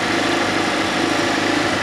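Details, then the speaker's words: Fiat Panda 4x4 Sisley, FIRE engine, after a water pump replacement, hot at working temperature with the thermostat open: steady, even idle hum with none of the earlier grinding from the front of the block. Normal idle. "yeah it's all up to uh a nice hot working temperature the valve's definitely opened up and I'm getting no grunty grindy"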